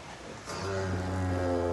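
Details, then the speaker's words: Nissan, steering turned: low drawn-out groaning creak that swells and worsens when forced, from a worn stabilizer link needing replacement. "é trocar essa trocar essa beleta aqui que ela tá arranjando é certo quando eu força ela faz mais ainda"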